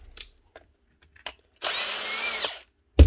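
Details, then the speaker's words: Grinder with fairly fresh brushes: the motor whines up for under a second, then dies and coasts down between clicks, shutting off when the power lead is wiggled; faulty lead causing intermittent cut-out. "can tell if the lead when you wiggle and she shuts down brushes are fairly fresh that one brushes are good enough new leadle sort this out"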